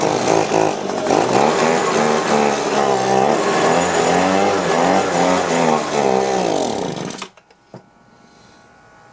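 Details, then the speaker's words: Two-stroke leaf blower with a suspected clogged carburetor, after carb cleaning and a new primer bulb: revs waver up and down, never hold steady, then die; the bulb floods but the carb struggles to draw fuel; fuel starvation. "okay well it's running but the carburetor you can see it's just filling full of gas on the bulb it's like the [Music] it had a hard time sucking the gas up into the carburetor"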